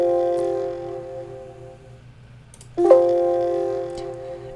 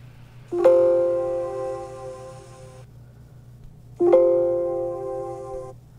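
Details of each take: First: Dell XPS laptop (13/15/17, 2020–2021) speakers playing the Windows asterisk sound: two-note chime with sharp crackling distortion and pops as it fades out; no fix was found. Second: Dell XPS laptop (13/15/17, 2020–2021) speakers playing Windows asterisk sound as it should sound: two chime notes ring clearly and fade smoothly without the crackling distortion at the end; crackling issue has no known fix.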